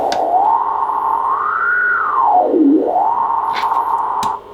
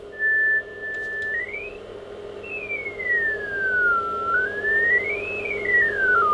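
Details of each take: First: ICOM IC-751A shortwave transceiver, probably late 80s or early 90s, 100 W, general-coverage receiver: receive audio is distorted on LSB and USB at 7 MHz and below but fine at 10 MHz and up. A sideband tone swoops through gritty, distorted hiss, caused by bad trimmer caps in the VCOs. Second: ICOM IC-751A transceiver (bad VCO trimmer caps), receive check at 28 MHz, lower sideband: clean whistle slides smoothly as the dial turns, with no hum or distortion; LSB pitch slightly low, BFO possibly needing realignment but sounds okay.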